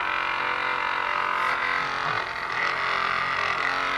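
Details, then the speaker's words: Battery-powered massage gun switched to a higher vibration level: a hard, buzzing motor drone with a loose, chattering vibration on top; the user wonders whether the attachment head is not hooked in properly. Cause not confirmed. "Bigger vibration. Whoa! Super vibration. You can hear some weird vibrating thing here."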